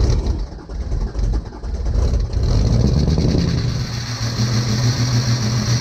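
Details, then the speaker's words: 2006 Ford 6.0L Power Stroke diesel after fuel injector install: long labored cranking on weak batteries, then catches and settles to steady even low clatter while warming; normal cold start and idle. "fire in the hole oh yes definitely almost killed the batteries but she fires up obviously she is a diesel so he's going to have to warm up a little bit got her running"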